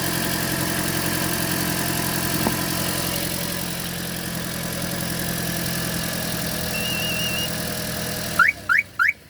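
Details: Toyota Auris at idle: a constant low electrical hum under the hood from the alternator area, not rising or falling; owner judges it unlike a bearing noise, and the belt was not rubbing; suspected failing alternator.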